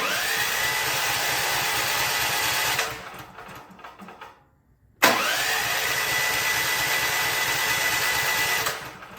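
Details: Champion Black Diamond 6800 generator, fuel on and on choke, electric start: two bursts of starter whirring with no firing; cranks but won't start. Spark present; the intake valve was later found dropped, having hit the piston and bent.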